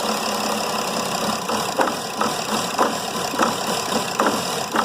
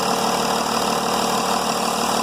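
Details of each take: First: Mercedes E320 CDI diesel daily driver, EGR unplugged and in limp mode: idle stumbles with irregular thumps and barely stays running while the EGR is held open; the main cause was later found to be a disconnected swirl-flap linkage starving the engine of air. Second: Mercedes E320 CDI diesel idling smoothly with even clatter, no misfire, once the EGR valve returns to normal; EGR opening during warm-up caused stumbling, and a disconnected swirl flap linkage was the main cause.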